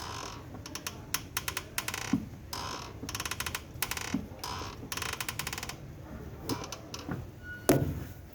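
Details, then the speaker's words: Volkswagen Voyage (same setup as Gol/Fox/Saveiro G5/G6): rapid dry clicking and creaking each time the clutch pedal is pressed, pedal hard; gears shift fine, so the clutch itself is ruled out. Clutch actuator dried out inside from age, worn; being replaced with new part. "o barulho o barulho parece que vem do pedal ali mas na moral das vezes é aqui esse esse atuador pelo tempo de uso aí né pessoal ele vai ressecando por dentro aí e vai danificando e ficando com esse barulho e dura"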